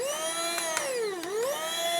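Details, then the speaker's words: Small travel hair dryer: thin, high motor whine that wavers in pitch with no air push; it heats, but the fan blade has come off the motor shaft. "Baling-balingnya baru lepas, nanti kita pasang baling-balingnya , bisa saja lepas"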